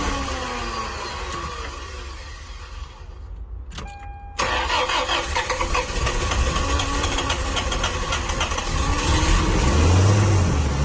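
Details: Toyota Tarago/Previa/Estima 2TZ-FE petrol engine starting right after head gasket and cylinder head replacement, on a weak battery with assist: brief cranking, then it catches cleanly and settles into a steady, even idle with no misfire or knock.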